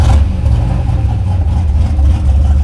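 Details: 2011 Chevy Silverado V8 after new cam install, ARP head studs and head gasket repair, exhaust valve open: deep, heavy, loud rumble held under throttle; healthy cammed engine pulling strong.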